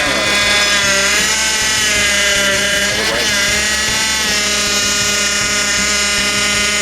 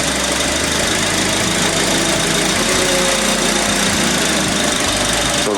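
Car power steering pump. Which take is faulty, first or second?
first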